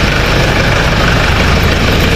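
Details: Kia/Hyundai Bongo D4CB diesel after alternator repair, whose pulley bearing was crushed and noisy: steady even low idle rumble with no whine, squeal or knock; alternator charging about 14 V at the battery.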